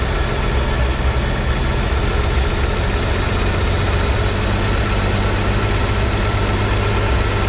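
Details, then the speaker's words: 1983 Ford F150 300 inline-six after the Carter YFA one-barrel carb fix, choke off, idle dropped slightly but maybe still fast for a manual: steady, even rumble with a faint occasional sputter, air cleaner off. Normal idle. "hey she's running good uh nice idle we're probably maybe a little fast yet for a manual transmission"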